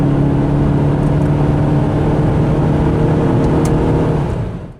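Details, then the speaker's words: Chrysler PT Cruiser on a test drive after camshaft sensor replacement, accelerating with no engine light. Engine pulls with a smooth, even drone and steady tone, no misfire, knock or tick. Runs normally and makes good power. "Well guys, we're just out on our test drive and the car's running nice. No engine light or anything now. It's making good power. Sounds good."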